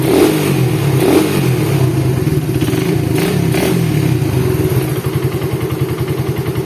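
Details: Suzuki Satria FU single-cylinder engine after rebuild with new crankshaft bearing, first start after reassembly: deep steady thump with light rev blips, no knock or clatter; the earlier rough head and bottom-end noises are gone, running normally.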